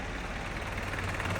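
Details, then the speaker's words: 1972 Range Rover Classic Suffix A, recommissioned and started first go: low, even rumble at idle with no knocks or misses; an earlier knocking is thought to be the exhaust banging around; sounds healthy, normal idle. "that knocking noise just sounds like it's the exhaust banging around yeah this guy's going to give any throttle and get the foot on it fantastic sounds healthy it's really good"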